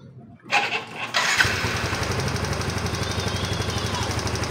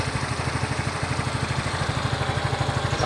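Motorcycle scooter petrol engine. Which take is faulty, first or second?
first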